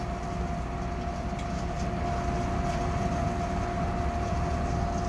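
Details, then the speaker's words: Gas furnace, recorded close to the burners at startup: a heavy, steady low rumble under a faint constant tone through the firing cycle. The inducer is suspected of failing bearings; unclear whether the noise is the burners. Cause unconfirmed. "yeah you hear that like that's awful sound I'm not sure if that's just the I'm sure if that's the burners or or what"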